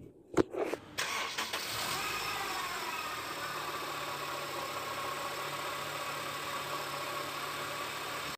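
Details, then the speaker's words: Honda CR-V: after engine start, a loud, harsh, steady whirring whine from a worn AC compressor bearing over the running engine; fix is removing the belt and alternator to take out the compressor and replace the bearing. "Bila engine dihidupkan, bearing kompresor akan bunyi berdesing dan bunyi itu memang kuat dan ya semestinya lah sangat mengganggu ya untuk pemanduan buat siapa saja yang mengalami masalah ini."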